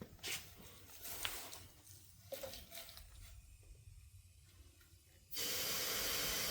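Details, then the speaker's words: 1957 Ford Fairlane sitting on four flat tires, being reinflated to move it; faint knocks and rustles then loud steady hiss at rim as air escapes past the partly debeaded flat tire: tire bead air leak. "So, sometimes when uh a tire is this flat, it kind of debeads a little bit and the air gets out through."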